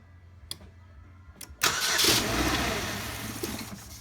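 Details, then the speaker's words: 2008 Pontiac G6 2.4L Ecotec with intermittent stalling and P1682 ignition circuit code: sharp clicks then rough start burst with buzzing chatter as relay loses contact in loose socket; fault traced to loose relay socket. "it's clicking like crazy this is a bad connection"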